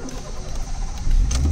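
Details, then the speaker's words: Honda City with a failing fuel pump that stalls when hot, restarted after waiting about 10 minutes to cool: a short crank, then the engine catches into a low steady hum; it starts once cooled. "मैं तकरीबन 10 minute wait करूंगा क्योंकि मेरा fuel pump जो Honda city में तकरीबन इस जगह पर है वह चेंज होने वाला"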